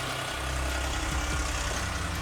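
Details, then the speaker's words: Audi A8 D3 V8 with a previously rebuilt cylinder head, at idle: loud, uneven knocking and rattling over a low rumble while the engine runs smoothly; owner suspects a failed cam phaser, not confirmed. "предположение это я думаю что развалился фазовращатель то есть ванн из фазовращатель муфтами витя и так ну что то есть ну в общем штука которая фазы смещает звук очень страшный но мотор работает идеально ровно"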